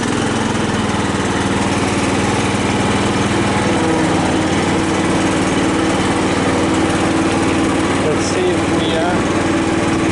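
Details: Cub Cadet LT 1018 tractor, PTO engaged for the first time after deck repair with makeshift idler spring: steady, even engine drone under load with blades spinning, no knocks or slipping; cutting properly.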